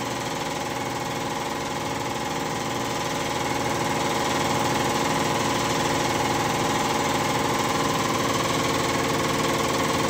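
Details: Kia Bongo III J3 Euro 4 diesel after replacing all 4 injectors and cleaning filter and tank, done for misfire, vibration and black smoke: steady even diesel clatter at constant idle, no misses or knocks; normal idle.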